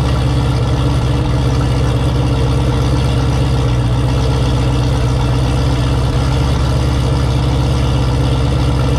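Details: Turbo Camaro ("Cowmaro", 1200hp) V8 first fire in a while, fresh oil, warmed to operating temperature with coolant about 190°F; deep, smooth, even idle with no knocks, ticks or misses. Normal idle.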